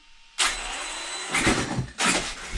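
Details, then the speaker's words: HPI Savage Flux 2350 RC truck with a new slipper clutch spring, on the bench: short bursts of high whirring as the drivetrain spins up and slips evenly. It smelled like a hot belt before tightening; it is then loosened a bit, and the slipper is set about right. "got a little bit of slip but not enough loosen it up just a bit half turn maybe"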